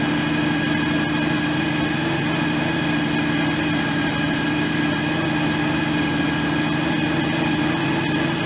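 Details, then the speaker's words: John Deere X738 lawn tractor after 50-hour service refilling the shared front axle/transmission/hydraulic/steering oil: even steady single-cylinder putter, constant tone, no whine; engine and transaxle running fine, steering a little stiff. "I don't know. It sounds like it runs fine. Doesn't sound like it's anything's whining or anything like that."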